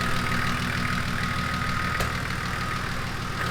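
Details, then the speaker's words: Nissan GQ Patrol TD42 turbo diesel idling at about 600 rpm after the idle screw was backed off and the fuel screw wound in: a steady, low diesel clatter at a slow, even beat with no hunting or surging, a normal, correct idle. "That sounds good to me. Yeah. So, right there is the idle."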